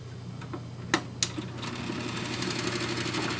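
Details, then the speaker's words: Wollensak T-524 mono reel-to-reel tape recorder from about 1963, being restored after a jammed speed control: steady motor hum and clicks, then a dry rattling chatter through fast forward, rewind and play; it needs lubrication, and a worn belt stops the take-up reel. "you can hear, and it needs quite a bit of lubrication, goes into fast forward, goes into rewind, and put it into play, and the capstan turns"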